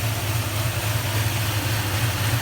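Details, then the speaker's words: 2004 Toyota Tundra at idle: steady low idle with a slow, uneven throb; vibration not severe, owner suspects a transmission or engine mount, PCV valve also cleaned; cause unconfirmed. "there's not too much vibration. I wonder if it's just like a transmission mount or an engine mount that needs to be changed."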